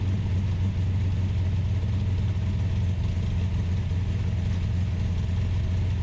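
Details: Ultima GTR supercar with American V8, started on a jumper pack and warming up: steady, even hum with deep low drone and no misses, revs sitting noticeably high on warm-up idle; fans pulling hot air, temperature gauge reading only about 60 degrees.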